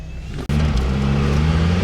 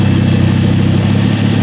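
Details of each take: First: Ford Focus ST/XR5 Turbo on the road after fixing the exhaust leak at the turbo: clean steady note rising under load with natural untuned pops; driving far better. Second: Ford Focus ST/XR5 Turbo, loud deep chuffing roar from the front of the car under a quick blip instead of from the tailpipe; exhaust leaking at the turbo outlet, where the downpipe was left unbolted.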